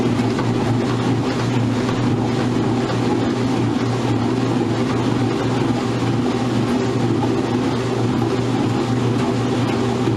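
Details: Maytag washer on spin with an unbalanced load: steady low drone with a rhythmic throb, labouring and sounding like it is struggling but holding speed without kicking itself off balance.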